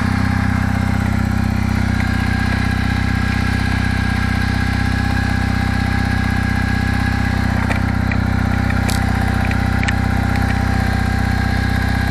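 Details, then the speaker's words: Kawasaki W650 twin, about 50k, at idle on a 10°C day, not yet fully warm: steady idle with an even ticking knock rising gradually; suspected cam drive gear mesh (drive and driven gears) needing adjustment, valves already adjusted. "это на холостом ходу но он еще не до конца прогрелся пока [аплодисменты] [смех] постепенно постепенно с тупого появляется он нарастает нарастает"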